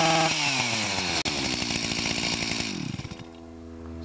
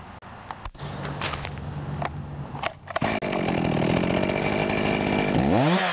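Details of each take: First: Stihl MS 361 chainsaw, fairly new, warmed up, before ignition coil replacement: screams up but cuts out and stutters around 5,000 rpm, even under load, as the coil's built-in rev limiter misbehaves; faulty ignition module. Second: Stihl MS 361 chainsaw, about a year old, after replacing the ignition module (coil with rev limiter) that had stopped it revving beyond about 5,000 rpm: screams to full revs and holds, revving cleanly without bogging or winding down.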